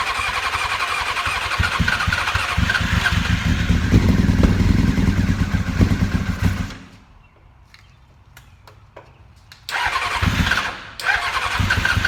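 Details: 2000 Honda F4 motorcycle run without fuel tank on carb fuel only; starts cleanly, smooth even beat, dies after about seven seconds, restarts evenly, no abnormal noises; carbs, ECU, coils, harness, cluster work.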